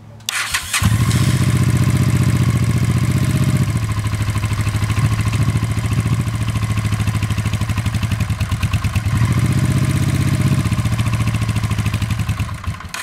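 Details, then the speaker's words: 1986 Honda Shadow VT500, water-cooled V-twin with 27,000 miles, started cold with choke on: it starts readily into a loping idle, then stumbles twice when throttle is cracked and wants to die until warmed about 5 minutes. "throttle get really slow and it just wants to die"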